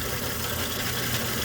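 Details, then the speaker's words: Overhead Door RSX ¾HP single-phase 120VAC commercial door operator motor with brake hums but stalls and won't lift; oil on the capacitor, motor quite warm, times out; blown run capacitor. "Notice how it won't lift. Oops. It timed out at least. Okay, reset. Up. Yeah, so now it's throwing a fit. That's what's going to happen. And if I feel this motor is quite warm. So this is a blown capacitor."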